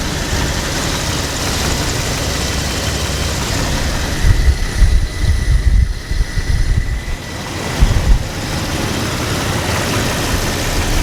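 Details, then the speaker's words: Engine running rough with misfire codes P0300, P0304 and P0320, after the spark plugs were replaced again with the old coil pack still fitted. The idle is uneven, with a low rumble and irregular knocking thumps inside the engine; the cause is unknown. "so guys I don't know if you can hear that it's like a knocking sound inside the engine"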